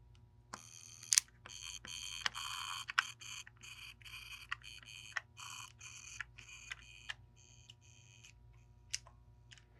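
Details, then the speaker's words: Game Boy Color after speaker-capacitor replacement: choppy game tones come out thin, buzzy and harsh instead of clean; the speaker turned out to be rusted and corroded, distorting the sound. "So, it's making some sound, but it is not correct at all."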